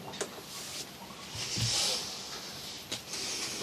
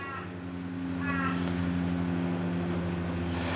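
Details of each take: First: Samsung front-load washing machine on rinse and spin after clearing a major clog from the drain pump and the bowl-to-pump hose: steady low pump hum with water rushing through as it drains; pump not burnt out, normal drain pump operation. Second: yep that water is definitely not leaving so i reckon i have a good feeling maybe the pump is stuffed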